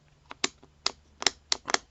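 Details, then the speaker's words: Harbor Freight electric pole saw that cut out under heavy cutting: the trigger switch, suspected of bar-oil contamination, was serviced and reassembled. It now gives crisp, sharp, positive snaps, about seven in two seconds, as it should. "that actually sounds better. The click on that sounds more like it's doing what it's supposed to."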